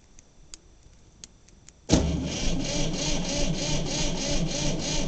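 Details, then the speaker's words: 1960 Massey Ferguson 200 diesel tractor, first start in over 20 years, cold start after long glow-plug heating: starter grinds steadily at about three compression pulses a second but it never fires; owner wonders about a bad glow plug relay. "Come on, crank. Come on, stupid key. Wonder if this thing's got a bad glow plug relay."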